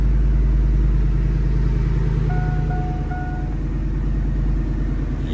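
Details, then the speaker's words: Normal idle of a GM Denali V8 right after an auto-to-manual NV3500 swap (4L60/4L65 removed) and first start; steady even low rumble with chime beeps, smooth and healthy. "Sounds good. So, she runs."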